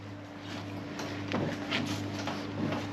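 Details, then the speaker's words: Hammerhead GTS 150 small engine idling after tightening the loose bolt to remove play and re-tightening the four dashboard screws: steady low hum, no buzzing or rattle. "as you can see here no more noise what we did was we tightened this bolt up so there was no more play in here"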